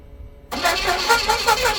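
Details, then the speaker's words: 1977 Pontiac Firebird Formula parked since 2007 barn find, with a new positive battery terminal, a borrowed good battery, gas poured in and transmission fluid in the cylinders: fast rhythmic cranking, almost catching but no start; likely flooded. "It's trying. It was trying. Give her a little motivational spray."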